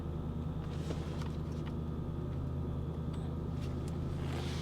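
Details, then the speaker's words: Salvage car at auction, idling after start with TPMS, check engine and ABS warning lights on; quiet, smooth, even low rumble with no knocks or misses, runs great, normal idle. "She runs great, guys."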